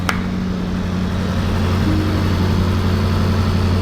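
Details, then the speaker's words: Rebuilt salvage 2021 Range Rover SVR V8 after engine block failure and repair, exhaust disconnected, first start: smooth steady idle with low even rumble and cooling fan whir, no knocks or misses; sounds normal. "Acho que tá funcionando. Olha, [risadas] acho que tá funcionando. Parece bem suave."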